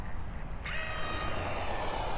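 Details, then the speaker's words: Tamiya Durga DB01 RC buggy: sudden high steady whine as the slipper clutch slips too long on launch, before being tightened about 3/4 turn. It should stop slipping within half a metre to a metre. "so that's slipping do it once more so you can hear it right so let's just start bringing it in and making a little bit of adjustment"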